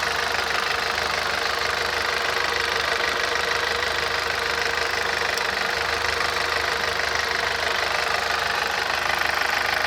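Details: Audi TT 225 quattro petrol engine at idle, oil and filter changed days earlier: steady, fairly regular knock about three or four a second; it goes away after accelerating and returns much later.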